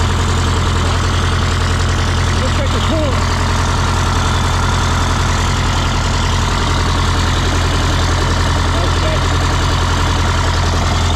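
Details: 1977 MCI coach with 8V71N Detroit two-stroke diesel, restarted after freeing three stuck injectors that caused a runaway: deep, even drone at idle with steady beat, no knocks or stumbles; normal idle.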